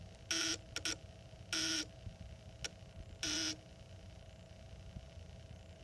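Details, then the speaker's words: Exit/emergency sign light on power loss: harsh beeps about every second, and the lights don't come on during the button test. The cause is dead internal batteries, fixed by replacing the two batteries. "So, oh, when I lose power, you get an alarm."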